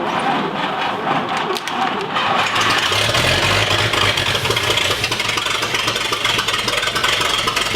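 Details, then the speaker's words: 1959 Chevrolet Apache sitting 40+ years, first start attempt with fuel poured into the carb: starter cranks, engine coughs and catches briefly then stumbles unevenly; likely needs a constant fuel flow, fuel starvation. "well i think it might do it with uh maybe some you had some constant flow of gas to it"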